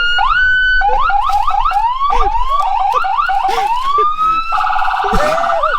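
Loud rising and falling wail, then fast yelp sweeps and a steady warble. The siren is working properly at full volume.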